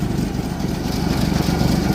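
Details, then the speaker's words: 1964 EH Holden Ute running on dirty fuel through an inline filter: low even rumble, no misses or knocks, exhaust from muffler, no smoke, no fuel leaks; healthy settled idle. "All right. Have noise coming out the muffler. No smoke. Fuels all going through. We've got no fuel leaks."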